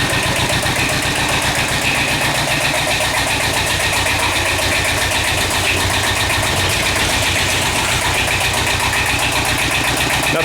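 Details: Kubota L-series two-cylinder diesel tractor (mid-70s) just started after repairing internal oil leak causing low oil pressure (camshaft aluminum plugs, per TSB), old oil still in, warming up; steady even chug at idle, no knocks or rattles; normal running.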